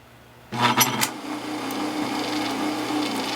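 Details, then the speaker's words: Aqua-Flo Flo-Master XP2E spa pump motor wired to run on 110V for use as a lathe during rebuild: switch-on clunk, then a smooth, steady hum with no grinding or rattle, running normally but slower than usual. "and it will not hurt it to run on 110 uh it just won't run as fast as it normally would and you don't need to run it long"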